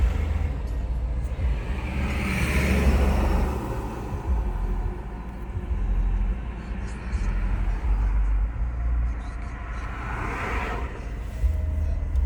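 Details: BMW E46 320d diesel at idle, below 7 °C with heater on: idle swells and sags unevenly every few seconds instead of holding steady; hunting idle, cause unknown.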